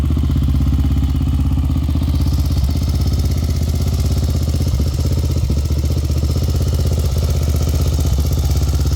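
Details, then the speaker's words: Honda 400EX single-cylinder quad after replacing parts: a steady, even idle thump of about four beats a second, no clatter or misses. Healthy after the repair. "Well, there you have it, guys. You can see it's running. Seems like it's running pretty good."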